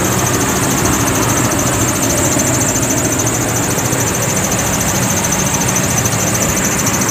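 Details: 2006 Toyota Tundra at idle: steady high thin squeal riding on a loud even engine idle without changing, a slipping serpentine belt squeal, later fixed.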